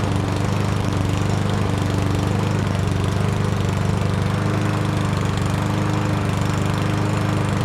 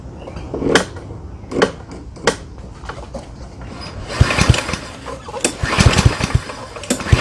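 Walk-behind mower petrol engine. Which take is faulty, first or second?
second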